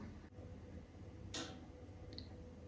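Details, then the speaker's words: Home heating radiator that recently started making the noise, loud at night: sharp, isolated ticks at irregular intervals like dripping or crackling; cause not identified. "от чуєте вона так як капає щось щось трщить Як це можна виправити"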